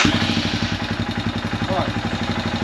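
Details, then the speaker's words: Royal Enfield Himalayan 411 that cut out when warm and is hard to start, engine warning light on: single-cylinder idling a bit high, about 1,400 rpm, revs dropping slightly. "so it starts fine. Idling a little bit above normal, probably about 14,000."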